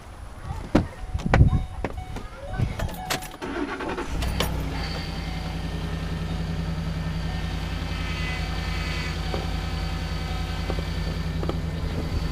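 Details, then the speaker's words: 2008 Ford Expedition after replacing a cracked power steering cooler with a universal transmission cooler and refilling fluid: engine cranks, catches and idles with a faint constant high whine; power steering pump whine. "those whining a little bit rude"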